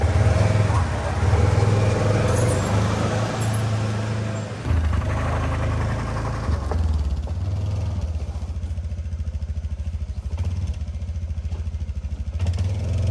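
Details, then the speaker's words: Kymco that wouldn't start and ran sluggishly, after a fuel pump fix that included replacing the in-tank fuel line section with submersible fuel line: an even, low thrum settling to a smooth, steady idle with no stumbles. It now runs normally. "and it's still idle okay this time I think it's fixed"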